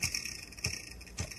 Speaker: dá pra ver o ofício barulho e se raspar no gelo